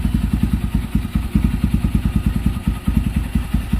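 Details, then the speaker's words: Kawasaki Barako 175 with all bearings and the connecting rod replaced, now quiet: an even single-cylinder idle of about eleven beats a second with no hiss or misses. A holed, hissing carburetor rubber manifold that caused misfiring is being replaced. "Tahimik na. Palit lahat ng bearing yan eh. Bago rin connecting rod yan."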